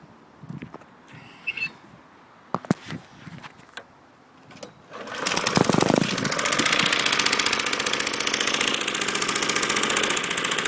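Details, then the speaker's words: Acto lawnmower with new filter, cleaned and checked plug, fresh SAE 30 oil and electronic ignition: after handling noise it starts and settles into a steady, even buzzing run with no misses or knocks. "And I'll start it up now for you to see and hear it running. And I'll take it up and down the lawn here."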